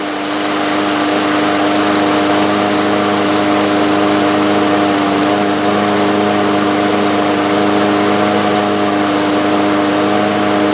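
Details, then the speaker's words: Two-year-old DeWalt lawn mower with Briggs & Stratton engine, first run after a new carburetor main jet; it started on the first pull but holds a steady, high-pitched drone with no hunting, clearly too fast. Engine overspeed. "All right. So, the engine was running too fast. You could probably hear that"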